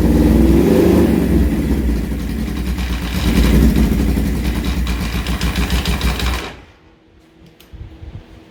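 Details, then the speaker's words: 1978 Suzuki GS1000 four-cylinder, sat unused for many years, running with no exhaust baffles: loud blips, then settling to an uneven, very chunky lumpy idle before going quiet. Rough idle; clutch to be replaced. "Alright, so as you can hear on the idle down, it is very chunky in here."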